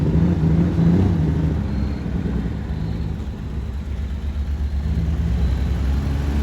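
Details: BMW E36 first drive after work, running on low octane fuel; low lumpy idle with uneven loping beat and slight hunting, runs and feels rough, cause not identified.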